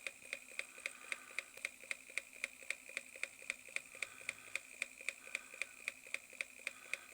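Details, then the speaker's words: Reverse osmosis water pump running under load: sharp, very regular ticking knocks about twice a second over quiet pump hum; worn plastic front bearing seat gives play, armature strikes the magnets. "Оказывается, посадочное место подшипника в пластике уже изношено, появляется люфт, и он ударяется о магниты."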